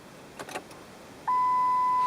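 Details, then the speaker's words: Car with key in run position and headlights switched on, clock showing lost power: single steady high beep that holds, with lights dimming; warning of a dying battery. "The dimming of the lights and the beeping are all indicators that we have a dying battery."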